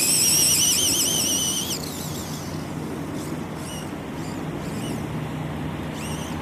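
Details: Vitarra Glamis UNO RC car on its first run after a differential rebuild, speed run: high electric whine fading into wind as it pulls away, no grinding or clicking; drivetrain healthy, normal running.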